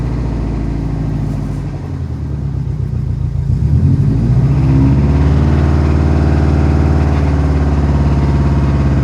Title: Ej255 rod knock 2012 wrx